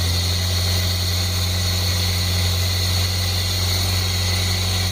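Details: 1989 Chevy S10 pickup, 2.5 four-cylinder, just revived with fresh battery, air cleaner off: steady, even idle with loud open-intake hiss, no knocks or misses; fired right up and runs healthy.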